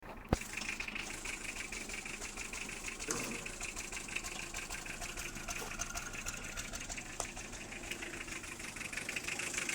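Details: Toyota Estima 2.2 turbo-diesel 3C-TE engine, recorded from outside: diesel clatter at idle with an uneven, stumbling, lumpy beat, rough idle caused by low compression in cylinder 4.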